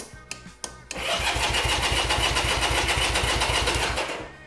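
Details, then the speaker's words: 1975 Honda CB200T on jump start, cranked with fuel off to circulate oil: starter spins at a steady rate of about four firm, equal compression puffs a second, with strong exhaust compression, sounding healthy. "Okay, that sounds pretty good. I do hear a lot of compression uh on the exhaust, so I think that that's that's a good sign."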